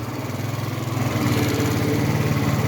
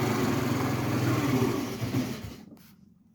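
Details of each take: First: 50cc moped after a battery replacement, restarted cold after stalling once: the small engine putters in a quick, even beat that builds slightly as it warms, no stumbles or rattles. Running normally. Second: 50cc two-stroke moped, first start after a new battery. Cold engine buzzes at idle, then fades and dies after about two seconds; it restarts right away. Owner blames the cold; stalls at idle.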